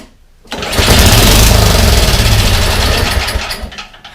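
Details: Yardman 21-inch snowblower, 5 hp Tecumseh single-cylinder, sat unused for years: catches and runs a few seconds at a fast, uneven beat, then sags away; runs only on prime, carburetor suspected.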